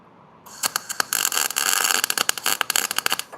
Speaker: That's That sounds way too fast. I'm going to turn it down some. That sounds too fast as well.